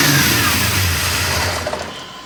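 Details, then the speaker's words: On a 1979 AMC Spirit AMX freshly fitted with an aftermarket EFI system, the engine flares to a loud high rev right after catching, then slowly sags; the throttle linkage stuck open after being played with. "I was when I was playing with the throttle just got stuck out like that gotcha"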